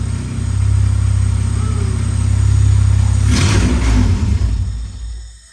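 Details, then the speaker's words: 1996 Honda Civic EK hatchback with B16 swap, first start with open exhaust: loud raw drone held up on throttle, sags and dies when revs drop; won't idle without throttle, owner suspects idle air control valve. "it did not seem to want to idle but I probably have some sort of weirdness going on with my idle air control valve so that's okay too"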